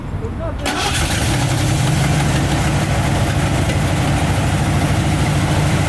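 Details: RV engine started after fitting a new bolt to fix a gas leak: catches quickly and settles into a steady, even low rumble with no misses or knocks. Normal running.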